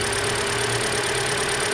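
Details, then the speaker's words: 2013 Hyundai Elantra, about 60,000 miles, new serpentine belt and alternator (alternator acts as tensioner); steady, even idle with smooth hum and no chirp or squeal from the belt; normal idle, no belt squeal. "I don't hear any squealing. Let's rev it up and see how it goes. There's no belt squeal. We're good."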